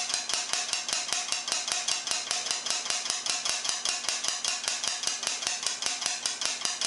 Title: Air Dryer Making Clicking Sound